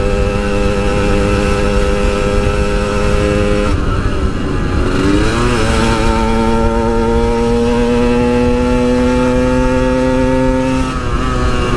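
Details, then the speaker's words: Yamaha RX King two-stroke riding after repair of its high-rpm stutter; a clean, even wail climbing through the revs with no stutter or cut-out at the top end. "guys udah enggak ada brebetnya lagi di atas enggak ada limit-limit lagi semoga eh enggak kambuh-kambuh lagi penyakitnya"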